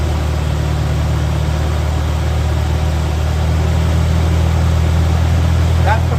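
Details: 1985 Mercury Marquis police interceptor 351 Windsor V8 with aftermarket cam, mufflers, timing 12° base/36° max: deep, steady burble holding an even fast idle, no ticking, knocking or misses; cam not very lopey, slight blow-by; normal idle.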